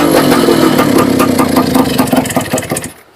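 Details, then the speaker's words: Two-stroke engine run before planned overhaul, no engine oil yet: loud revving with rapid metallic ticking rattle fading as it winds down and stops; owner hears piston knocking, suspects worn piston and possibly stock connecting rod. "Ang naririnig ko lang, piston knocking, may kalasing siya, saka lagitik."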